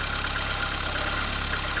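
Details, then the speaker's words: Lada Kalina at idle: thin, steady high-pitched squeal as the worn alternator belt, with one rib torn off, is pushed by the misaligned tensioner pulley against the side of the pin housing and rubs; fix by realigning the pulley and replacing the belt. "он уже терется об свою боковинку, об корпус штифа, и тем самым создает свист."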